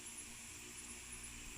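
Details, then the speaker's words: Household electric fan after repair of dead or humming-only motor: smooth, steady whir with even airy hiss, no knocking or rubbing; fan motor spinning freely and running normally. "oke beres teman-teman ya Jadi begitu saja sih jadi kerusakan yang paling sering terjadi pada kipas angin itu yang seperti ini teman-teman"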